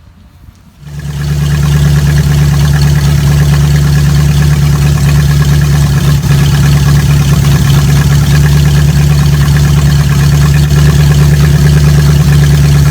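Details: Old carbureted Oldsmobile after converting to vacuum-advance distributor, new plug wires, initial timing 20 degrees advance: catches and settles to smooth steady idle, even low rumble, no stumble; normal idle.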